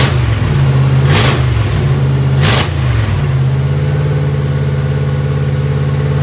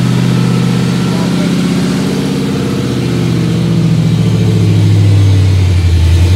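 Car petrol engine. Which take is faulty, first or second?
first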